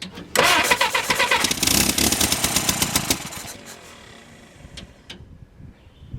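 Starter cranks, a few ragged firing bursts catch for about three seconds on primed fuel, then it dies back; not running on its own.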